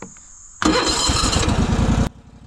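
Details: Craftsman DLT 2000 rider with its blown Kohler Pro 20 V-twin swapped for a Harbor Freight Predator 708cc engine, first start after rewiring: short crank, then the twin catches cleanly with a strong roar and settles to an even pulsing idle.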